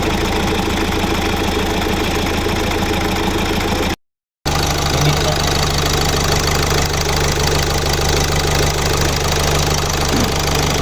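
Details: 2018 Hyundai Accent 1.6 CRDi diesel after engine work on the injector and pump, timing cover and oil pump cover refitted, for a cylinder 2 misfire and knock: steady, even idle with light clatter and smooth hum, no stumble or knock.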